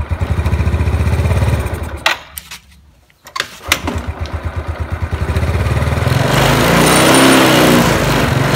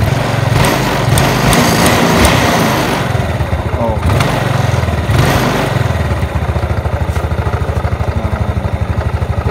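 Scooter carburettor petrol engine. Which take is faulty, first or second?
first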